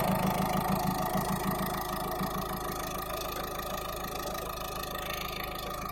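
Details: Peugeot/Citroën eHDi 112 diesel at idle: regular ticking clatter about three per second over a low hum; owner unsure if normal, cause can't be pinned down.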